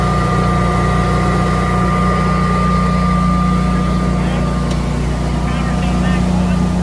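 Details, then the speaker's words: Newly installed Generac whole-home standby generator, startup test on simulated power outage: steady even drone, constant low hum, no misses, surges or knocks; runs smoothly, quiet like a lawn mower. "Sounds about like a lawn mower. Yeah. I couldn't [Music] hear it."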